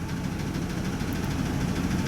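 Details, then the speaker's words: 2005 Ford van, 5.4L 16-valve V8, P0301 misfire from coolant-drowned spark plug (intake manifold coolant leak), idling in gear on brake, no throttle: low, uneven idle stumbling as cylinder 1 drops out. "you can definitely see one has got big-time issues"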